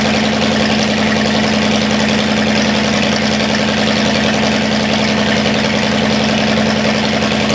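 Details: Cadillac 390 V8, cold, first runs after sitting 8 years and untuned: steady, even idle sitting a little high, no misses or knocks. Carburetor leaking less, accelerator pump boot chewed up, water pump leaking. Normal cold fast idle.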